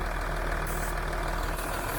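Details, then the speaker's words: Range Rover Sport idles steadily with a faint mechanical hum during brake servo fault-finding. The servo vacuum tube is disconnected to feel suction, and the vacuum pump is heard working normally; a new TRW servo is suspected faulty. "pressure build up there and you'll hear it down in pump working"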